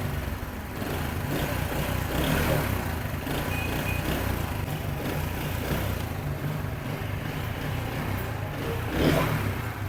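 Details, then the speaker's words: 70cc motorcycle after clutch bearing replacement, idling with clutch pressed: smooth idle with no rattle or grinding; the earlier noise when pressing the clutch was the clutch bearing, now fixed. "अल्हम्दुलिल्लाह आवाज जो है वह बिल्कुल ठीक हो चुकी है। क्लच बैरिंग का ही प्रॉब्लम था।"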